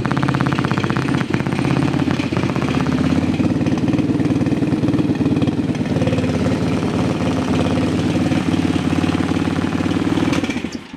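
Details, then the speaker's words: TaoTao ATV with radio running: steady engine-speed whine and ticking through the front speakers only; rear speaker's amplifier may have a built-in filter; engine noise interference, filter on ignition-to-radio feed next. "It only looks like we have engine noise coming out of the front speakers. I'm guessing the amplifier on the back speaker has a built-in filter or something of that nature."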